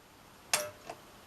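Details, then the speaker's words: Sony KV-M1421U CRT TV, kickstart capacitor already replaced: one sharp click at switch-on, one or two flashes, faint tick, then silence, set dead; standby transistor fault killing line drive. "you hear it dig out there's a single flash there or was it two flashes but now the set's completely dead it's not actually come on all it's done is dig out and that's it"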